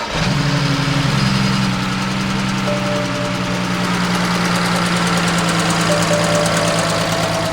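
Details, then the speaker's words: Tuned BMW E92 335i (N54 or N55 not stated) at idle with a light, fast tick about four per second, like something not sealing; owner suspects a leaking injector or loose spark plug, unconfirmed. "all right so it does make a bit of a ticking noise so i'm thinking it might be a leaking injector which a lot of people said might be wrong with both of my engines"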